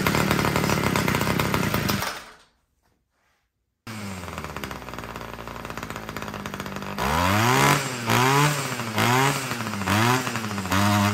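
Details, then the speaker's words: Homelite two-stroke string trimmer that wouldn't start, primed and on full choke; high buzzy run then cuts out, restarts surging unevenly with throttle; idle screw looks correct, seems fuel-starved, low-end carburetor mixture to be richened. "Let's try to start it. Well, that started. And then it died."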